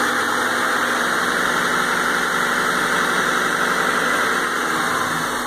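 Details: 1998 Honda Civic EX, high mileage, idle after head diagnosis and engine service: smooth, even idle hum with no ticking, knocking or rough patches; running quietly and healthy.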